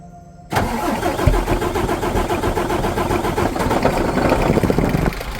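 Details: MAN truck diesel that would not crank, fixed by replacing a blown fuse: catches almost immediately after a short crank and settles into a steady, even clatter at idle.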